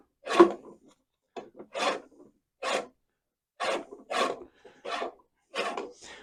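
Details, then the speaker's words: Battery-powered Heinhell reel mower during backlapping, reel hand-spun after cleaning: short, light, even swishing rubs about every half second; correct reel-to-bedknife contact, rubbing should be no stronger than this. "on on entend le frottementin faut que ce soit faut pas que ce soit plus fort que ça le frottement faut pas qu'il y ait plus de frottement que ça"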